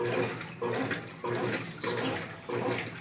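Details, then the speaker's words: 2014 Brastemp Clean 8 kg top-load washer, refurbished with new pump, on test in a long heavy program: rhythmic watery surges about every 0.6 s over running water, no knocks or grinding; filling to medium level (over half), normal. "Nível médio de água. que é mais da metade."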